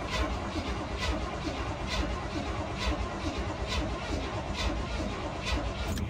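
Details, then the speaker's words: 1978 Chevrolet K30 sitting for 24 years, first crank attempt in a field. Slow, regular starter churning with only a hint of firing; it cranks but won't start, and the choke has not yet been located. "there's no way it just tried to fire there's no way there's no way"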